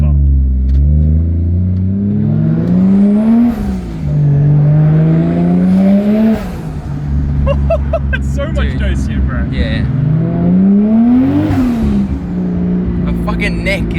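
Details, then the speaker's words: Boosted 1JZ Toyota Chaser pulling hard through three gears, deep smooth climb with quick drops at shifts, much quicker than before; healthy boosted acceleration. "damn she goes bro what do you think what do you think dude way quicker way quicker"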